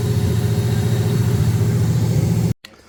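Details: 1979 Camaro LS-swapped V8 after intake replacement (crack found on old intake), before codes were read: uneven, lumpy idle wavering around three pulses a second, then cuts off; running rough, cause not confirmed.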